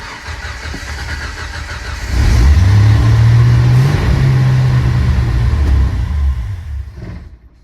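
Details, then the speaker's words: Rough running on first start of a Chinese Motorcraft 2150 carburetor install, choke not yet wired: engine cranks, catches, runs lumpy and uneven for seconds, stumbles and dies; owner hopes it wasn't a rod, smoke followed. "That sounded bad. Hopefully that wasn't a rod."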